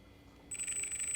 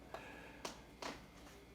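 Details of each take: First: 3D-printed electric motor driven by an electronic speed control: a thin, high-pitched whine switches on and holds steady without winding up. The motor is getting power but the rotor is sticking and stalled. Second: 3D-printed brushless electric motor newly wired to its electronic speed controller: a few clicks, then stepped tones and one longer steady beep; normal ESC power-up chime, though the motor then sticks and cannot break free.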